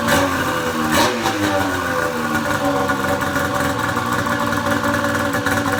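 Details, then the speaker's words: Pro XR 800 two-stroke sled engine after replacing a torched head gasket that was burning coolant: crisp, smooth revving with no misfire or stumble and no white smoke, only a faint smell that went away; normal running. "oh i'm not seeing any white smoke at first i still smelled a little bit but that went away that's a pretty damn good improvement over that smoke cloud we were seeing earlier today"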